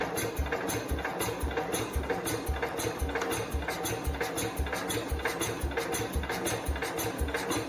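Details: 1969 Cub Cadet 105 after reassembly, cranking slowly: slow, uneven chuffing bursts about two a second that never settle into a run. More responsive than before, but it still won't run; cause unknown.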